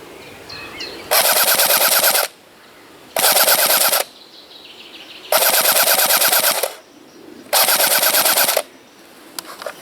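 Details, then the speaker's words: Cyma CM.060 P90 AEG airsoft rifle on a 7.4 V battery, full-auto: four bursts of buzzing fire at about nine rounds per second (roughly 545 per minute), sluggish cycling, battery considered too weak. "that's uh like uh nine uh nine rounds per seconds and in uh yeah that's uh 540 something uh 45 500 45 rounds per minutes that's really slow"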